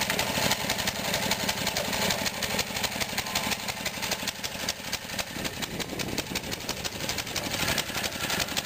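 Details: 1959 Briggs & Stratton 8 cubic inch 3 hp single-cylinder engine with 110 V electric start, running on old gas and needing a tune-up: loud but slightly uneven, irregular beat; runs rough from stale fuel.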